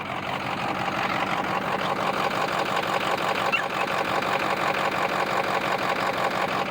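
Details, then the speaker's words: Ford 6.0 diesel with a miss and a P0269 code (bad injector or damaged harness suspected): rhythmic light clicking, about three per second, over a steady idle near cylinder 3, absent on the other bank; owner wonders if a piston is bad, no smoke. "So, if you heard that, it sounds like a a clicking, whereas over here, you don't have that. So, I'm wondering if the um piston is bad."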